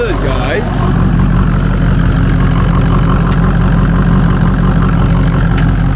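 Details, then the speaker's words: 2003 Ford Excursion 6.0 Powerstroke diesel first start after sitting 2–3 years, parked for a suspected water pump leak: deep, steady, even idle rumble with no knocks or misses, sounds healthy; battery light on, owner suspects alternator. "Let's hear how she sound. You know, let's hear how she sound. Okay. Woo. Sounds pretty good. She sounds pretty good,"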